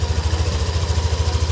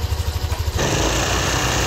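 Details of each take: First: Yamaha Aerox V2 scooter after inspection and valve adjustment, no parts replaced, radiator cover off: even, steady low thump at idle with regular firing pulses, no ticking or clatter; normal healthy engine sound. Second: Yamaha Aerox V2 scooter idling before repair, radiator cover off, recorded before disassembly: quick pulses, then a steady idle with a light, loose rattling tick on top. Valve tick traced to excessive intake valve clearance; normal after the fix.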